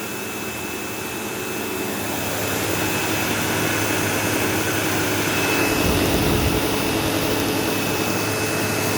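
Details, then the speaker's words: Sebo Automatic X5 upright vacuum on carpet: loud steady motor roar with a thin, constant high-pitched squeal like a slipping belt, though the brush roll has no belt. A brush roll problem is suspected. "Anyways, automatic X5, running. Yeah, you can kind of hear like a squealing noise."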